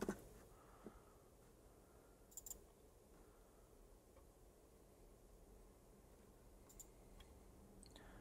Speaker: drive beat you can hear it clicking up perfect